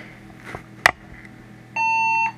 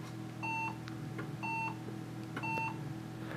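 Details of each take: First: HP desktop that failed to POST and beeped, after removing the oldest, bad RAM module: a couple of small clicks then a single clean half-second beep; passes self-test and boots into Windows. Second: HP desktop PC that won't POST: five short electronic beeps about one per second in a quiet room, then nothing; after a few minutes the fans ramp up aggressively and it powers off; caused by bad RAM.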